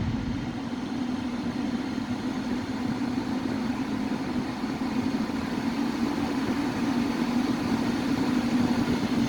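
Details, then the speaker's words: Heater blower motor after cleaning and WD-40 lubrication, running at high speed: a steady airy rush with an even low hum, no squeaks or whistles, normal operation after repair. "проверяем включаем тишина скрипов нет свисток нет работает ровно добавляем обороты"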